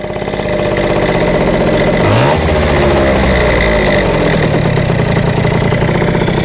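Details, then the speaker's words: Yamaha Jog CE50 70cc two-stroke scooter, carburetor with 104 main and 40 pilot jet: sharp blip, revs hang high and sink slowly to a busy idle; owner suspected lean, actual cause an intermittent ignition supply from a faulty battery fuse. "So if we give it a rev, to me that sounds lean. Just the way it hangs at idle and doesn't come down straight away."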